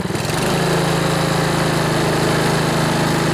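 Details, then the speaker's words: Older Honda Harmony HRB215 lawnmower after carburetor cleaning, warmed up, choke off, air filter removed: revved engine picks up briefly then holds a modest speed, not reaching full governed rpm; fix is tightening the governor spring. "so if you noticed even when I revved it up it didn't rev up all the way so I show you how we can fix that real quick here"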